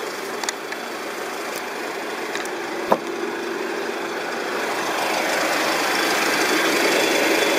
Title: RAWLING ENGINE NOISE 2